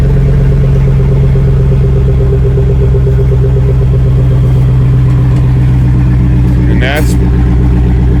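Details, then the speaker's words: LS V8 after a VATS delete by reflashing: throttle body and relays click at key-on, then it starts and settles into a steady, even idle with no misses or knocks; normal. "So, we'll turn on everything. You can hear the throttle body clicking and the relays clicking. There we are. Up and running."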